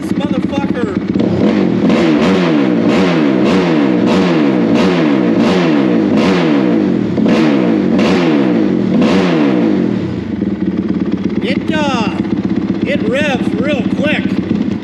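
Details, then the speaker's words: Rebuilt Honda 450R quad warmed up, idling about 1900 rpm at 102 degrees water temperature, fan always on: crisp single-cylinder blips rising sharply and dropping cleanly to steady idle, revs very quickly. Normal idle and free revving. "oh see that's what i've been trying to get rid of this thing but like if you sit here and watch it this thing revs crazy rpm right now"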